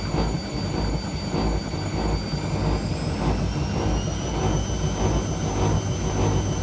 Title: Washing machine sounds like a jet engine 🙈